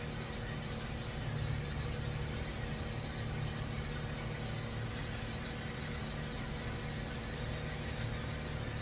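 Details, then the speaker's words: 2004 Toyota Avalon cold-start idle after timing work (previously one tooth off) and O2 sensor wiring repair: quiet, even low hum with no ticking or misses, slightly rough; judged good, with O2 sensors still reading no voltage. "But it sounds good. It sounds really good on a cold start. A little rough, but I bet you it's not O2 sensor."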